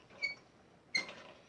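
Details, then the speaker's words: American Standard bathtub faucet: two short, high-pitched squeaks as the handle turns on or off; the stem squeaks when operated, possibly because the stems are bent. Cause suspected, not confirmed. "Oh, you hear that squeak. You can tell when someone's turning the water on. You're shutting it off when you hear that squeaking."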